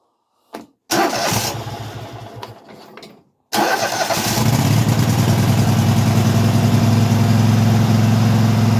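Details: Craftsman hydro mower with V-twin, which ran only on spray until debris was cleaned from the carburetor: fires, runs two seconds and dies, then catches on the second try into a steady even idle; still hard to start.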